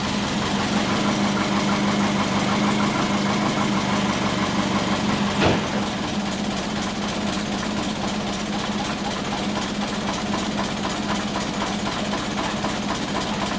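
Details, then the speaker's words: Big-turbo Subaru Forester: a loud, choppy, lumpy idle around 500–750 rpm that sounds ready to stall; idle control was set to ignition-only, with base ignition timing set too low. "and it's lumpy, and it's like sitting around 750, 500. It sounds mean, it sounds like it's going to stall"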